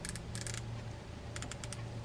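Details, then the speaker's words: DAM Quick 3000LH round baitcasting reel after service, handle refitted and drags tightened (drag was the issue): quick bursts of crisp, light clicks from the clicker as the spool pulls against the drag, which holds; normal drag clicker. "Tighten down the drags. That was the issue here. Hear the noisemaker making the noise."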